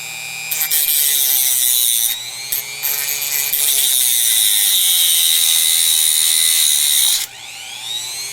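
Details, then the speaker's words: Chinese replacement rotary tool with a Dremel grinding bit notching a metal computer slot cover, starting at lowest speed and then ramped up, with sparks. The high steady whine climbs with speed and holds pitch through the cut without bogging. Normal cutting under load. "let's ramp that up a little too much Europe now we got some sparks flying that cut a nice Groove in there did it slow down or bog down just like the Dremel would exactly the same"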